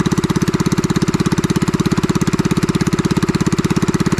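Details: Farm pressure washer's small engine after repair; it would not start following heavy rain the night before. It now gives a steady, even putter with evenly spaced beats and no misses or knocks: running smooth and healthy.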